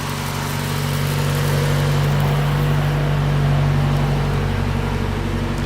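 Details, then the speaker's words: Lowered Mazda Miata four-cylinder, oil pressure healthy: smooth, even low hum at idle with steady tone and no knocks or ticks; engine just purrs, quieter than many Miata motors. "wow look at that just purrs the engine's really quiet i've heard a lot noisier miata motors than this"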